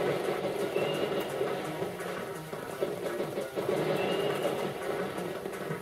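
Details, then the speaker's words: Dell OptiPlex GX110 desktop from 2000 running a game under Windows ME's built-in sound drivers: the music has a rough, gritty crackle with small uneven stutters. The drivers are suspected; crackling, stuttering sound output. "sound is crackling though as you can hear so the sound drivers aren't particularly good they're the built-in Windows me ones so I guess what do you expect"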